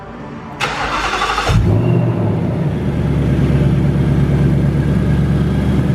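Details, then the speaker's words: 2018 Mustang GT, Whipple supercharged on E85, about 5,400 miles: cranks, starts and settles to a lumpy idle with dull uneven knocking and ticking; severe piston slap found before dyno, bottom end to be rebuilt. "my dad called us ahead of time and let us know that the car has a severe piston slap and we went there to check it out to kind of hear what it sounds like"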